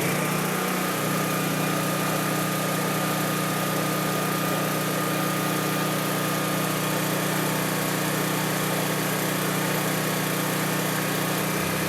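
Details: Honda EB3500 generator at about 60–62 Hz, engine just above 3600 rpm (about 3650–3660) unloaded, dropping to about 60 Hz under load: steady, even drone at one pitch, no hunting or surging; governor holding speed, healthy.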